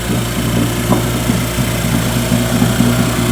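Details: 1955 Johnson Seahorse 10 hp outboard, mechanically restored (ignition, carburetor and lower unit rebuilt), idling on the water during its lake test: steady, slightly uneven two-stroke burble with a low drone and light popping, normal idle.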